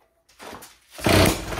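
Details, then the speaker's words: 3D-printed two-stroke engine: silence, a weak catch, then one short rasping burst of firing that fades without running on. Compression and spark are still present, but something seems broken inside and it is getting worse. "oh yep it fired she fired but it still seems to be getting enough compression to run so see if they're still getting spark"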